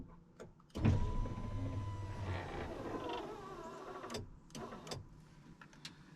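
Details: Newly replaced power window motor on a 2000 Ford F250 Super Duty hums steadily about three seconds with a slight drag, then clicks off; glass seems to bind, owner suspects the rear window track is too tight at the bottom.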